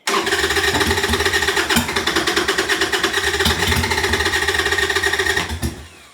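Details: 1998 Harley-Davidson Sportster sat over a year, new Kemimoto lithium battery, old gas and bad fuel filter, possibly flooded: steady starter cranking with a few ragged catches that never settle into a run; cranks but will not start.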